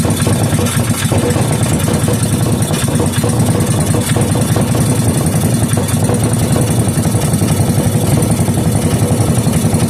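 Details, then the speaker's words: Rebuilt 5hp Briggs and Stratton single, fuel added to cylinder and carburetor, no muffler: loud, bare, rapid popping from the open exhaust port with a slightly uneven beat; running, just unsilenced, then shut off by kill wire. "This time I'm going to put a little bit in the carburetor too, and let's go. What do you know? She's running."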